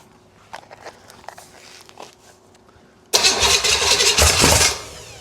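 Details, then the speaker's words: 1971 Buick 455 big block for a 1970 Skylark GS, first start before installation on poured fuel: catches loudly, runs roughly about a second and a half, then dies; normal first start. "Oh my god, dude. Oh man. Very excited. Super happy to have heard that pop off like that."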